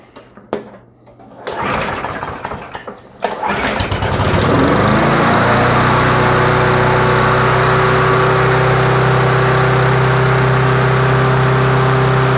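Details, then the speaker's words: Push mower with a Briggs & Stratton Classic engine and tank-mounted carburetor, previously surging, refitted with gasket, gasket, diaphragm, gasket stack: it pulls, catches and settles into a steady, even buzz with no hunting; runs smooth. "Runs very smooth now."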